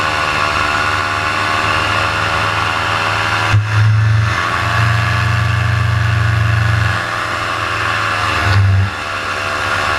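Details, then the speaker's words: Paramotor in flight soon after launch, motor under an hour of flying time, throttle held wide open: the two-stroke drone sags and surges, pitch dropping then recovering; the motor is bogging and losing revs, and it later died completely on the landing approach. "And then coming up here shortly, you're going to hear the RPMs just start to drop down and start to bog, and that's when I realize, hey, something's up."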